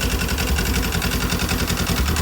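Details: Polaris General 1000 after replacing the blown primary clutch, which had caused slamming into gear and no park, with an RZR 1000 clutch and stock belt; now shifts like new. Steady, even low idle rumble with no knocks or rattles; normal idle.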